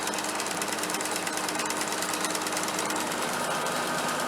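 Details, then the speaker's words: Allis Chalmers sickle mower converted to 3-point hitch, first run on the tractor: fast, even cutter-bar clatter over a steady drone, with slight vibration bouncing the seat that smooths out running up to about 1500; normal running. "sounds good a little bit of vibration though you can see the seat bounce in there it's not terrible but there is some vibration there"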